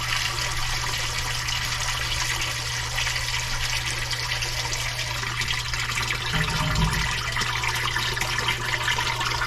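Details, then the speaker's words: Commercial sewage ejector pump just reassembled after a clog: steady motor hum under loud hissing as water sprays from a rotted hole in the discharge pipe while pumping; cause of the hole unknown. "that's not good was just like a it's if you can tell it's rotted out I don't actually know the reason for the hole"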